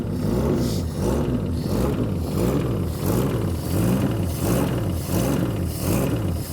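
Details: 1966 Plymouth Barracuda Formula S engine, revived after decades sitting; slow loping idle with deep exhaust, a little over one pulse a second; idle speed low, idle screw to be raised or timing increased.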